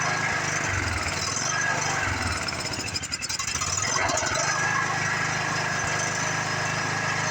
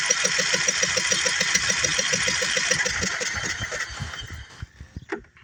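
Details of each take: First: Free Craftsman riding mower, single-cylinder, sat in a garage for years, briefly run: normal running, steady slightly uneven putter with one brief dip, no knock or clatter; starts easily, stopped smoking. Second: Craftsman riding mower, sat for years, plug out, cylinder flooded with varnish-smelling fuel and sprayed with PB: even starter cranking about three and a half turns a second with no firing, then stops; lots of nastiness expelled.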